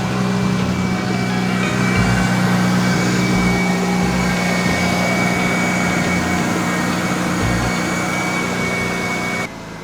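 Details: Mazda RX8 after engine swap with a rebuilt rotary, first start: steady, even rotary idle with a smooth buzzing hum and no knocks or misses, a bit smoky from burning off ATF put in the engine; normal idle.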